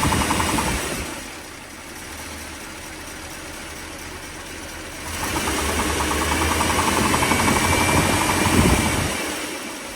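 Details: 1957 Mercury 368 cu in V8 idling with a steady knock about four times a second, worse when cold but still present at higher rpm when warm and when revved.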